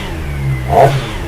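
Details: CFMOTO SRK450RR right after its first service (oil change, about 2.7 litres, new filter): smooth idle rises to one clean quick rev and settles back without rattles or misses; owner calls it smooth; normal revving.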